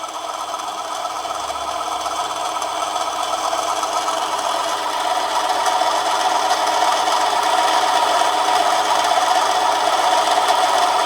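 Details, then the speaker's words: Manson lathe turning a 1/2-inch brass bar, heavier cut: motor pitch changes, steady hum with fast chatter about four per second growing louder as the cut deepens; motor struggling but still cutting. "putting on a bit of a heavier cut this time as you can hear the picture of the motor has changed but it's cutting all right"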